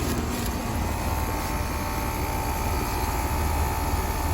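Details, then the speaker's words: Outdoor HVAC unit at 63°F ambient, reported to run constantly, with suspected fan motor trouble and high head pressure: steady low, rough drone with an uneven churn; the compressor doesn't sound right, and its top and body feel cooler than they should. "That compressor doesn't sound right."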